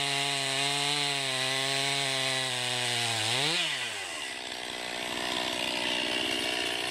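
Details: 2020 Stihl MS261 chainsaw, non-M-Tronic standard-carburetor version, 20-inch bar, cutting oak: high steady buzz sags in pitch as the bar bites into the wood, then keeps pulling; normal, healthy saw cutting under load.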